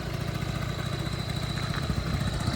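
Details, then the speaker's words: Honda Dio AF-34 two-stroke scooter idling warm: steady thin high whistle over the burbling exhaust from a leaking crankshaft seal, absent when cold, causing raised idle revs. "на холодну його чути чутно не було А зараз свистить трошки із-за цього бачите підвищені роботи із-за цього що пускає сальничок"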